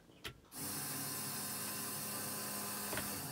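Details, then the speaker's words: 30' Bayliner with twin LM4 LS engine swap, key-on for engine two with no fuel in the system: a steady electric whir with a faint low buzz holds evenly for three seconds. The fuel pump primes normally. "so here let's go ahead and power this stuff up here you can probably hear the pump when i power it on turn"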